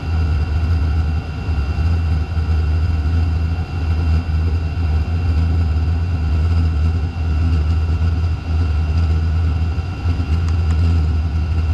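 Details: Chinese diesel heater (Vevor-type) restarting after fuel system bled of air: loud, steady blower roar with a deep even hum, the fan on high far too early in a smoky startup, with smoke from the exhaust.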